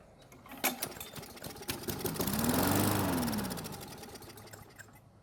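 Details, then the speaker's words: Poulan mower after repairs, new brake handle fitted and primed: engine catches, swells to a quick steady beat for a couple of seconds, then settles and fades; fires and runs. "now once the engine has started and ran for a little bit it should have filled the well with fuel meaning the primer should work now and we can start it normally"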